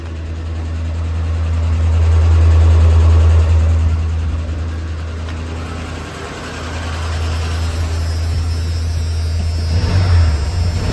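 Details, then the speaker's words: Ford F150 running just after an engine install, with timing off because the distributor isn't tightened yet. Deep V8 rumble with a faint steady tap following revs, absent when the engine ran before; cause unknown, owner hopes an oil change and treatment fix it. "I got a little bit of a tap here I know the timing's off cuz we uh haven't tightened up the distributor yet"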